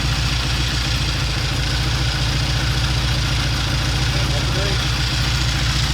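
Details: 1960 Triumph 350cc 3TA twin, started on the second or third kick: an even, low putter at about 200 beats a minute with no knocks, misses or hunting; good idle, good oil flow, charging.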